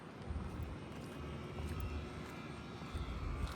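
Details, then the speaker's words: BMW X5 45e at about 50k miles, lowering the car by button: a low, even air-suspension compressor hum from under the car with no creaks or rattles; normal air suspension compressor operation. "You can hear the air compressor. So it's squatted now, which is pretty nice."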